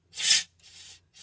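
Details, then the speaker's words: Ford 601/641 tractor, engine off, with compressed air blown into the high-pressure hydraulic line: three short hisses of air escaping, apparently at the back of the transmission. Hole in the hydraulic pressure tube, which had been leaking fluid; tube to be removed. "sounds like it's on the back side of the transmission out wow it's definitely air coming out of the in the transmission so it's definitely got a whole"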